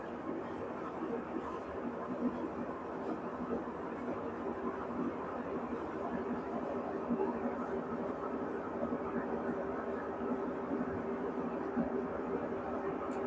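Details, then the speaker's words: Brastemp washing machine, empty, during spin test: loud, steady roar and hum, far louder than its normal spin and worse when loaded; suspected worn spin bearing, not confirmed. "A máquina tá fazendo muito barulho ao centrifugar. O normal dela não é isso. Olha que ela tá vazia."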